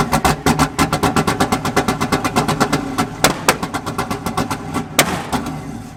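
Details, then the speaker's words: Chevy LS-swapped drift car, first start after catching fire at a drift event: the V8 lumps along unevenly with hard firing pulses and two sharp backfire cracks before dying; black smoke and dumping fuel are noted; cause unconfirmed. "Oh god, it's dumping fuel. Backfiring heavy too. That was loud. Yeah. Something is wrong."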